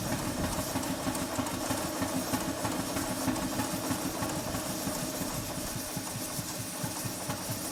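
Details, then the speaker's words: Model live-steam traction engine, newly fitted injector, running in forward with advanced valve timing at only 30 psi boiler pressure: steady, even chuffing at about three beats a second with soft mechanical clatter. Running cleanly. "The valve timing in forward is not slightly retarded, it's actually quite advanced, but the engine runs better this way."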